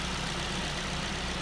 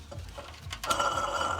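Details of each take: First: Engine after a new air-conditioning clutch part was fitted: smooth, even idle with a steady low hum. The earlier shearing, metal-rubbing noise is gone. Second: Car's air conditioning compressor clutch, badly worn and scored: a scraping metallic rattle with a ringing tone over the engine, also heard while driving. The clutch is being replaced.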